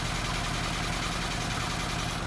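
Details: Barn-find Lotus twin cam, off the road since the early 1990s, just restarted: steady, even idle with smooth low rumble, no knocks, misses or hunting; running beautifully. Normal idle.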